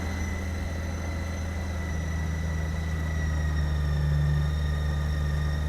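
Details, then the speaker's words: 2008 Honda GL1800 Goldwing after an oil change with full synthetic and a new battery (12.88 V): starts much faster, steady smooth idle with no knocks or misses; charging voltage 14.66 V, alternator good. Normal idle. "So, I'm going to go ahead and start it up before I put the bracket on just to make sure everything's okay. And I'm going to check the charging voltage on it. It should be 14 to 14 point something. All right. Well, that starts up much faster."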